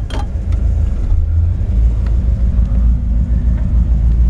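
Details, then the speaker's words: 1960 Ford F100 short-bed, carbureted, with a mild cam, idling while warming up: deep, loping idle with uneven cam rumble but no knocks or ticks. A normal, healthy warm-up. "Hetal sweet ham yeah little cam in it she just takes a little time to get warmed up"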